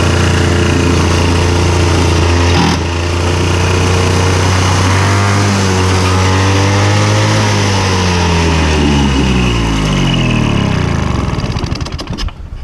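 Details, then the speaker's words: Victa Super 24 / Super 600 70-series two-stroke mower after carb clean, filled with only about 500 ml fuel: steady running sags and wavers in pitch, then splutters and stalls; owner suspects fuel simply ran out. "reckon I ran out of fuel because I had fork oil in there. I'll see. Anyway, I reckon that was fuel finally running out."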